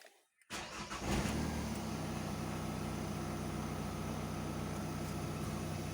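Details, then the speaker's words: Opel Combo 1.7 diesel with earlier crank-no-start and P0251, after soldering engine control unit, fitting primer bulb and fixing fuel leak: catches within a second into steady even idle; normal start. "Ну, але машина заводиться чітко."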